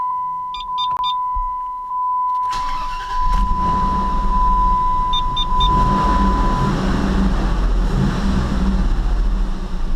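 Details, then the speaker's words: Dodge 4.7L V8 just after spark plug replacement: a chime beeps, then the engine cranks, catches quickly and settles into a smooth, even idle with no misfire. The check engine light came on because the IAT sensor was left unplugged. "oh it runs nice and smooth it runs really smooth usually the stick shakes a bit when it runs that's a good sign"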